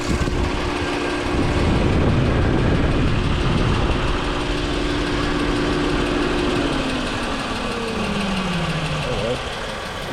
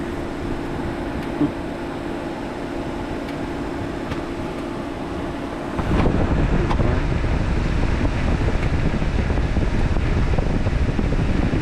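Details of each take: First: 2009 Chevy Equinox after engine coolant temperature sensor replacement, idling warm: fan switches on at 101 °C, steady fan rush over smooth idle, then winds down and stops as temperature drops to 94 °C; normal cooling fan cycling. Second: 2009 Chevy Equinox with key out of ignition: steady airy rush jumps louder halfway as radiator fan switches on by itself; coolant temperature (ECT) sensor being replaced as the fix; cooling fan running with key off.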